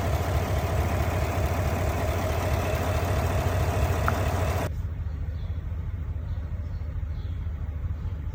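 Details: GMC/Cadillac engine with check engine light on, at idle: deep, uneven idle with a recurring stumble about two beats a second, a suspected misfiring cylinder.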